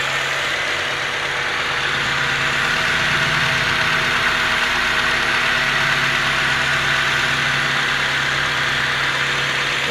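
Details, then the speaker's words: Honda CR-V gen 2 automatic after repairing chipped, broken gears that caused harsh noise and no drive: steady even idle hum with no grinding or clunks; transmission now smooth, forward and reverse work. "suaranya sudah halus tidak ada suara kasar untuk maju mundur juga sudah bisa"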